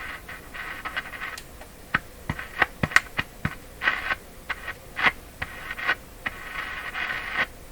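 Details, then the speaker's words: Canadian Westinghouse Model 684 tube radio, tubes tested good, on a variac around 75–100 volts: faint scratchy output with irregular crackles and pops while probing the audio stage, slightly better at the volume control output; weak distorted audio, cause not confirmed. "that's not very good what about let me touch it now output of the volume control that sounds a little better"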